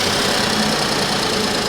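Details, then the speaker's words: Suzuki Vitara, 19,000 miles, cold start after fuel pump fuse/relay issue found: fuel pump primes instantly, steady even idle with smooth hiss and no knocks or stumbles coming down off cold-start idle; runs fine. "on a fuel pump instantly primes up it just it starts up great sounds really good as well"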